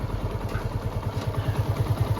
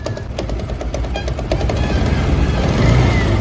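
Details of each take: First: TVS Apache RTR 160 BS4 after full engine repair, idling without throttle: slow even thump about six beats a second, previous clatter completely gone; normal idle. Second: TVS Apache RTR 160 BS4 running before repair: rapid metallic clatter, quieter as revs rise and louder when the throttle is released. The bike also emits white smoke. The engine was opened and the cause found to be a loose gear shaft bolt.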